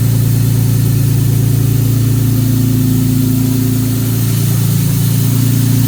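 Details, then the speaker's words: 1957 Jaguar XK150 FHC restoration, first start after rebuilt twin HD6 SU carburetors, starting carb hissing, baseline timing and mixture settings: even, steady low idle with smooth regular pulse, no knocks or misses; running cleanly. "Well, how sweet was that? Engine starting run up and running smoothly, and we're only on the baseline setting, so it's going to get a lot better once we get the timing dialed in, get our carburetor mixtures correct."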